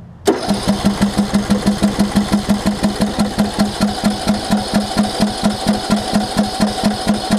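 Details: John Deere LA105 riding mower that sat outside about three years, with a new starter solenoid, spark present and starter fluid added; watery fuel is suspected. Steady starter chugging at about two beats per second catches faintly but never fires: it cranks but won't start.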